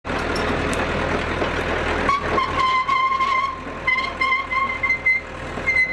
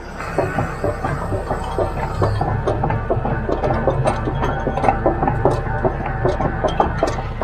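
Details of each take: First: Hitachi UH043 excavator, rescued abandoned machine, tracking; shrill steady squeal comes and goes from a seized track top roller; owner hopes it just needs grease. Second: Hitachi UH043 excavator after the seized top track roller that caused screeching was greased: tracking with the usual irregular link clatter and no squeal or screech, the roller now turns freely; normal track roller operation.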